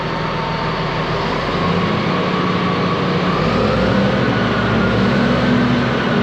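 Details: Ex-US Army Cat D6R bulldozer diesel, 822 hours: deep, even rumble at constant pitch, no knocks or misses; sounds good, zero blow-by, a couple of hydraulic leaks.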